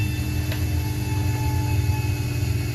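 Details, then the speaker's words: Twelve-year-old walk-in freezer condensing unit on the roof, down overnight and low on refrigerant: heavy constant low rumble and drone from the compressor, which is running warm; compressor suspected failing, later replaced with the fan motor. "a hissing you can hear a rumble up on the roof - and that section of mine feels pretty warm - so a bad feeling about this compressor"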